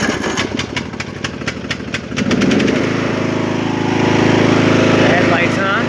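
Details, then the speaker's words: Poulan XT (Husqvarna) 42-inch lawn tractor, Briggs & Stratton 16.5 hp 500cc engine, six-speed gear drive, mint condition, start on choke: starter cranks about two seconds, catches and settles into steady even run, no knocks; normal start and idle. "it's on choke I'm gonna go ahead and crank it over"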